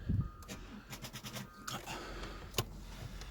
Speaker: that sucks guys it tried it did try this battery's a bit flat that sucks